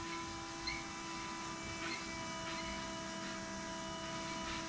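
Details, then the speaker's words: Electric fuel pump on a Shelby Cobra replica with 2003 Mustang GT 4.6 V8 primes at key-on with a steady even hum, reaching 10 psi immediately after the tank flow problem was fixed, where it previously struggled; normal priming. "i'm just gonna turn the key on and see how fast i can hear the pump pumping [Music] oh it's immediate now so right now it's giving me 10 pounds of pressure"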